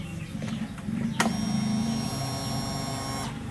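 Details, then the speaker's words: Honda Revo fuel-injected motorcycle after fuel pump replacement, idle pressure 40 psi, close-up priming test: a click, then a steady, smooth, louder electric hum for about two seconds, then it stops. Normal fuel pump priming. "Sumpah untuk pramingnya itu suara pulpam itu jauh lebih nyaring ya, lebih nyaring dan suaranya itu lembut gitu."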